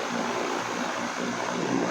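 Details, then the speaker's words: Electric fan after basic maintenance, earlier noise from the shaft rubbing now gone, running on speed 3: steady even rush of air with smooth motor hum, no rubbing or ticking; normal running, high speed. "So wala na yung ingay kanina guys. Yung kanina parang sumasadsad yung yung kanyang shafting. Tapos number 3. Ayan. Napakalakas."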